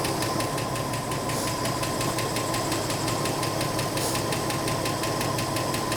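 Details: 1984 Ford F150 after a cylinder head change: it idles fairly smoothly with a light, quick tick of nearly three per second. Valves probably need readjusting again once freed up; cause suspected, not confirmed.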